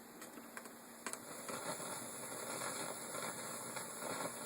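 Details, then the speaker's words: Teac A4010S reel-to-reel during reconditioning, tape output heard through a receiver: steady hiss in the left channel only in tape mode, too low to register on the VU meter; noisy medium PNP playback preamp transistor. "it's not enough noise to register on the vu meter you go into the source goes away but in tape there's quite a hiss and it's only in the left channel"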